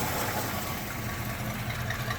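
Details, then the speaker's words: Restored 1969 Ford Bronco half cab V8 at cold start in 28°F weather, not in gear: light fast lifter ticking over steady rumble, a bit more on one side, no knock or smoke; not substantial. "engines uh churning away cold no obvious knock going on can hear those lifters churning a little bit but uh nothing too substantial maybe a little bit more LIF or noise on this side as opposed to the"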